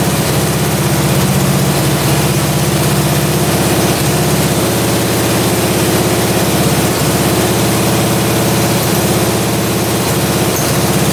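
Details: Russian Dnepr military boxer twin sat 30 years in a barn, just after carburetor idle adjustment and start; low, even thumping idle holding steady, no stumbling or hunting; running cleanly, normal idle.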